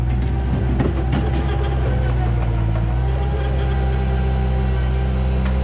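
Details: 1999 Bobcat 864 tracked skid steer after replacing right-side drive motor with rebuilt unit and refilling fluid, test run: even diesel drone with faint steady tone, drive pulls smoothly without stumbling; healthy hydraulic drive.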